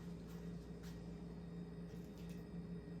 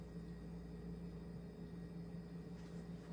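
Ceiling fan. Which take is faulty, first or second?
second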